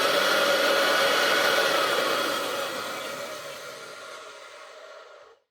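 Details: Old Hoover Junior 375 upright vacuum (1950s–60s), stored for decades, after refitting the brush-roll belt: steady high motor whine with no brush slap, winding down smoothly to silence. The motor sounds healthy.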